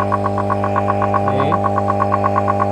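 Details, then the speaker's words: Resun aerator air pump (LP40–LP200 series) with weak output, powered on with the cover open to show the magnet working: steady loud mains-rate buzz with fast even pulsing rattle, harsher because the cover is off; the rubber diaphragm is torn. "Nah, ini suaranya keras karena ini dibuka. Ya, ini sistem kerjanya seperti ini teman-teman. Jadi magnetnya itu seperti itu ya. Nah, ini terlalu keras soalnya covernya dibuka ya. Karetnya itu sobek ya teman-teman, karetnya ada di sini."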